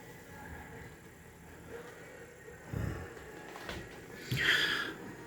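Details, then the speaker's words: Pioneer CT-F650 cassette deck after new belt and reconditioned idler tire: quiet hum, then firm mechanical clunks as the working auto-stop halts the transport, normal operation. "all this worked because of that little [ __ ] belt but everything else is spinning badass Auto stops working [ __ ] perfect"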